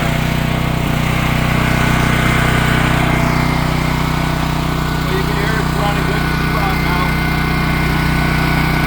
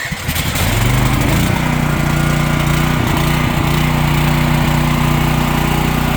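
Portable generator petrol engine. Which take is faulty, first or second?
second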